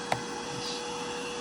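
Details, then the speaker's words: iwoly C150 motorized vacuum floor brush before repair: steady motor hum with a sharp click and no brush sweep; roller clicks but won't rotate, owner suspects it's full of hair and caught up. "it's not turning. See, it's clicking, but it's not rotating."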